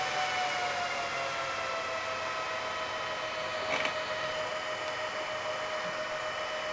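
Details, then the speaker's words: Meanwell RSP power supply in a single BLF188XR LDMOS amplifier, after upgrades to quiet its internal fans, which earlier sounded like a jet: steady airy rush with faint high whine, no rattle; fans now running low and quiet, normal. "that's really low now as you can hear oh yes that's actually I say that's part about perfect"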